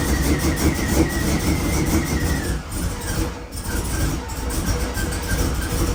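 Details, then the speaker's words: Twin-turbo Chevrolet C10 Suburban V8 with newly installed Chop Monster cam: loping, uneven idle about three beats a second; choppy idle from the aggressive camshaft. "We put a chop monster in it and uh it sounds pretty sick."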